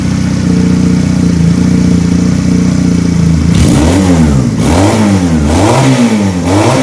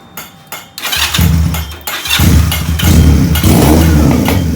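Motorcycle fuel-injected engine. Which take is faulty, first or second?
second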